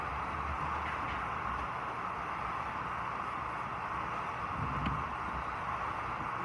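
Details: Clothes dryer that made loud noise while rotating, test run after part replacement: smooth steady rushing hum with no knocks or scraping as drum turns; normal rotation sound.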